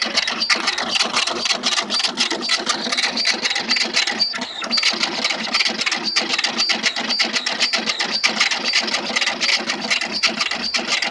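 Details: Tally T5040 dot-matrix printer printing after a loose print-head bolt was tightened, which had caused loud knocking and scattered output; now a fast, even rattling buzz line after line with no knocks. Normal printing.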